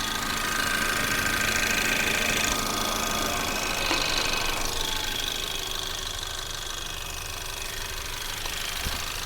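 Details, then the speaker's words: 2024 Ford Maverick XL AWD 2.0L EcoBoost, warm, at slower idle, microphone in the engine bay near the belts: even idle with smooth belt and pulley whir, no knocks or squeals; normal idle. "all right so the engine is going at a little bit slower speed now slower idle"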